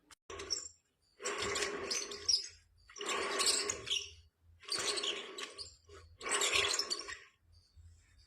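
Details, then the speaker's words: Ceiling fan: repeating scratchy squeaks and chirps, about one burst every 1.5 seconds, from worn bearings; the capacitor clip is opened next. "तो दोस्तों, आपने सुन लिया होगा यह हमारा सीलिंग फैन किस तरह की आवाें कर रहा है।"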